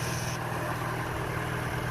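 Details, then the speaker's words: Ex-navy Chinese clone of a Suzuki micro van, small twin with points ignition, warming up, a little smoke and owner may adjust fuel mixture; even steady low putter, no misses, knocks or hunting; normal idle. "Let's listen to this thing. Yeah, yeehaw, she runs. That's awesome."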